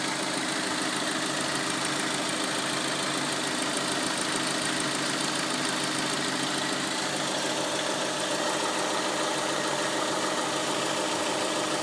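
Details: 2003 Hyundai Elantra petrol engine idling with a light, quick ticking from the back of the engine, cause unclear; there is also a low rumble in drive and reverse that goes away in neutral and park.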